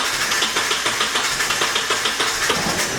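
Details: Nissan 240SX KA engine after new distributor install, starter held by one bolt: catches but stumbles with uneven sputtering about three a second, running rough; timing suspected, voltage only about 7.8 V.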